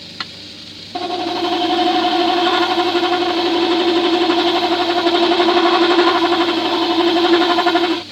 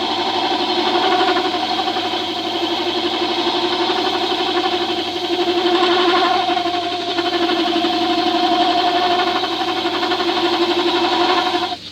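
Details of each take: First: You hear the rest chatter in there. That's because it's not tight enough. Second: Tool steel hand-turned on a woodwork lathe at its slowest of three speeds with a custom diamond-profile cutting tool: steady motor hum with light scraping hiss, smooth cut, no chatter; normal lathe cutting.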